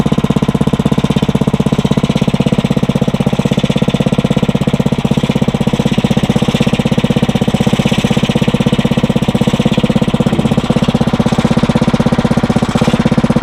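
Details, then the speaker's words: Briggs & Stratton 900 series engine, used about 2 hours a year, oil unchanged for a long time, just cold-started on choke on the first pull after cold nights; crisp, even single-cylinder putter at a steady rate, no misses or knocks. Normal idle. "That's actually a first to have that thing start up on the first pull."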